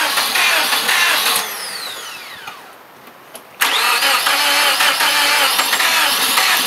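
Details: Car sat about 6 to 9 months; its 5-year-old battery, once at 0.75 V, was revived by charge/discharge cycles. A short crank, a quiet gap, then it fires sharply and settles into a steady run: it starts fine now.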